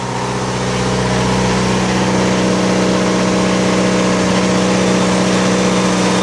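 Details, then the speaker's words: Onan DJC diesel generator, warmed up, on a load bank at a little over 7 kW: steady even drone with constant low hum, no surging or hunting; running healthy under load. "DJB is, the DJC is performing really well. You didn't hear any variation in the motor whatsoever."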